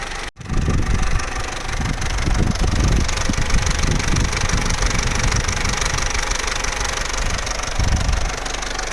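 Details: Vauxhall Corsa C Z14XEP with 86,000 miles at hot idle, with a loose, irregular rattling chatter; the engine is quiet cold and after about 6 minutes of idle. Timing chain rattle, pronounced only at full operating temperature.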